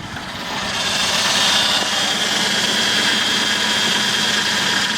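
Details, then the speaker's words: 2001 Ford Escape parts car, just started after adding oil (it had none), theft light flashing: uneven lumpy idle with high thin squeal, suspected tensioner; won't accelerate; rough idle. "ah runs kind of rough but it runs"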